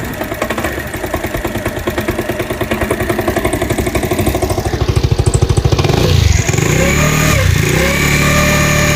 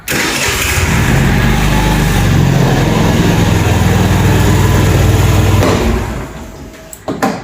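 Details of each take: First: New-body fuel-injected Cappuccino 50 scooter after moving the pickup sensor away from the magneto: rough uneven pulsing run with a rattle building as revs climb, strange noises and smoke. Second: Fuel-injected Cappuccino 50 scooter after repair (flywheel key fault addressed, bypassed kick-start wiring restored): the starter catches and the engine fires straight away, settling into a steady, even idle before shutting off; a clean, normal start.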